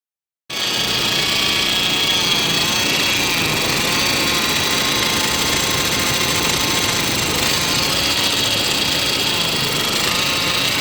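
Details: 2005 Saab 9-5 Arc 2.3t, neglected, with a suspected PCV/vacuum leak and a P0300 code: an uneven, hissy idle with an irregular lumpy beat that surges and sags. Misfire with surging rough idle; the car occasionally dies when coming to a stop.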